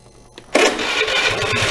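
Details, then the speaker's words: Lead 110 scooter with a hard-starting problem, after a mechanical decarbonizing cleaning: brief starter whirr, then the engine catches at once and settles into a steady buzzing idle. Starting is now perfect. "não foi lá fez mecanicamente e limpeza resolver o problema de partida agora fica perfeito"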